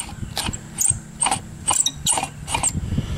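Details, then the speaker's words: 1991 Oldsmobile Cutlass Ciera burnt-out blower motor, removed and spun by hand: an irregular dry ratcheting rasp with scratchy clicks instead of a smooth whir, showing a rough, worn blower motor. "It ain't supposed to sound like that. It's supposed to sound like this."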